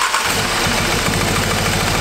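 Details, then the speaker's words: Wrecked 2018 Audi S3 8V 2.0 engine, first start after repairs with plastic found in a cylinder: catches and settles into a choppy, stumbling idle with a broken beat, a bad misfire; cause not confirmed. "it's misfiring badly like really bad it is misfiring"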